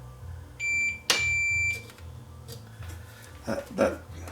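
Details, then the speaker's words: Leak Delta 75 receiver, checking the driver transistor on the shorted line: a steady high meter beep holds about a second, dead continuity; the driver transistor is shorted. "transistor here looks to be shorted"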